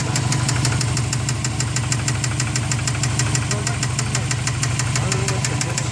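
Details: Subaru engine idling with a fast, even tick about three per second. Source unknown: onlookers suspect cylinder 4 or something unbalanced in the turbo, and the side is hard to locate.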